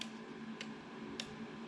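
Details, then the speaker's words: Kubota zero-turn mower, 7 years old, that broke down. Its relay, tested in a relay tester, gives ten crisp even clicks about 0.6 s apart over a faint hum, so the relay is good; the PTO switch is suspected instead: normal relay operation. "and you can hear it clicking does that 10 times it says the relay is good so that's not our problem"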